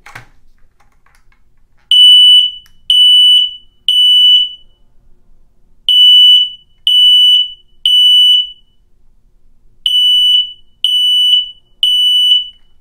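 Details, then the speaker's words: Kidde SM120X smoke relay wired to 120 V AC smoke alarm, normally-open contact switching a light; test button pressed, loud shrill beeps in groups of three every ~4 s, normal evacuation pattern, light turns on. "那好，我们现在按照第一种做法，如果我这个警报器一响警报的时候，这个灯应该马上就亮，就是我们说的，比如说厨房里的警报器一响，整个走廊里所有的灯都亮。"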